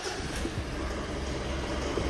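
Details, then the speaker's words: Mitsubishi 4D56 diesel with code P1275, hard start, engine temperature normal: loud, harsh tractor-like idle with rapid clattering knock and vibration, blamed on excessive diesel rail pressure from a dirty valve stuck in place. "صوتها يا اخوان طبعا عالي جدا سامعين كيف زي تركتر"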